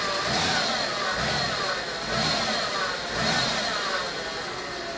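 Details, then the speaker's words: VW B5 first started after 1.5 years sitting: small rev rises and falls with a light top-end tick, likely a sticky lifter; the misfire has settled, a known vacuum leak remains, and the car is in limp mode. "Sounds like clearly a sticky lifter from not running in a year and a half, so I'm not overly concerned about that."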